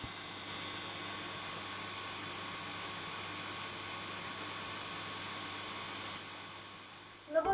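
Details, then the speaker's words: Fluval FX6 aquarium canister filter before cleaning, after 3–4 months of use: quiet steady electrical hum with a high whine, loud compared with the barely audible hum after cleaning, then handling clatter; dirty filter needing a wash. "Ну а здесь он уже вот как раз перед помыв как он сильно гудит и так у меня происходит каждых 3-4"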